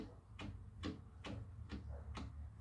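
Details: Bare Chevy 307 V8 turned over by hand, an engine that had no power: sharp clunks about every half second, each with a jerk; cause not stated, owner believes it explains the low power.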